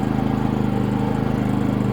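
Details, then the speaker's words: Harbor Freight 3500W inverter generator, eco throttle off, with about 30% load from a space heater on low: steady, even hum at constant pitch, no surging, hunting or misses; smooth under load. "a 30% load and it's smooth right out so I is meant to be run with a load on it"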